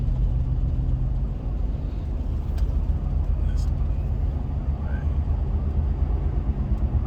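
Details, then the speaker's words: Chevy Avalanche cruising: a steady low drone and rumble through the cab that follows road speed; the owner suspects a front wheel bearing or possibly rough-riding tyres, unconfirmed. "sound like the wheel bearing hauling in the front it's maybe just these tires on here though"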